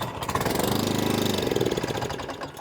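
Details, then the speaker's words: Atco Balmoral 20SK mower, sat in shed months with E10 fuel in tank and carb; on choke after draining fuel from bowl, it catches and pops briefly then dies within seconds; fuel starvation, carburetor needs looking at on the bench. "So it's fired up and then stopped again. So that means we've got a fuel problem."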